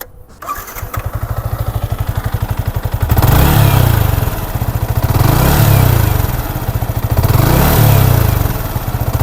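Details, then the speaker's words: Yamaha MT15 after a newly fitted cylinder block, repairing piston slap from overheating without coolant; break-in period still pending: engine catches and settles into an even thumping idle with no slap or knock, a normal idle. "আগের থেকে অনেক change না? আপনারা চাইলে ভিডিওটা পিছন দিকে টেনে আগের সাউন্ডটা শুনতে পারেন। তাহলে আপনারাই বুঝতে পারবেন যে সাউন্ডটা কতটুক পরিবর্তন হয়েছে।"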